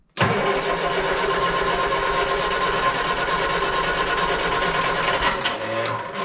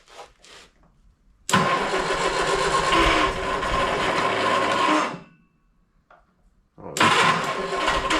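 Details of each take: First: 1971 Triumph Spitfire MK III four-cylinder, starting after 14 years sitting, using starting spray: brief crank catches right away into a steady, even, not-too-loud idle with a little clicketty-clack rattle; normal idle. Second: 1971 Triumph Spitfire MK III 4-cylinder, unstarted for 14 years, mouse nests blown from the tailpipe: cranks, catches and roars a few seconds, dies, then fires again on starting-fluid spray; it is starved of fuel.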